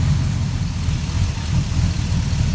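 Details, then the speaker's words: GM LQ4 6.0 L V8 bench-run on a stand after warming and cooling, checking for bottom-end noise: deep, even idle with smooth rumble and no knock; slight tick the owner considers normal; normal idle. "there is a slight tick in it but it's kind of the tick that you hear with any engine so I'm not too worried about i"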